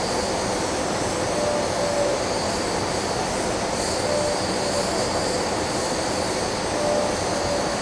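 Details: Ventec dust collector filter, well-sized, at start-up: a constant rushing airflow roar with a few faint tones and no clatter or grinding; the cleaning system is running normally.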